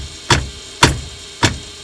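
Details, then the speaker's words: 1973 Dodge Dart Swinger: four sharp hollow clacks over a faint hum, rattle in the steering column coming from the shifter area; owner suspects shifter. Steering column rattle. "that's the sound we're dealing with and it's definitely coming out of the shifter area in here"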